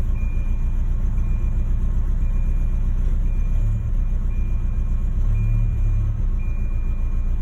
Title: Rough idle